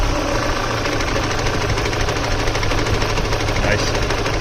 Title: connecting rod, spun bearing or something else? what can be done to fix this?